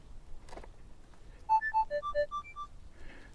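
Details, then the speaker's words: Minelab GPZ 7000 gold detector switching on: a quick run of clean electronic beeps stepping up and down in pitch, then the threshold tone is audible. This is the normal power-on tone. "Okay, you can clearly hear the threshold right now."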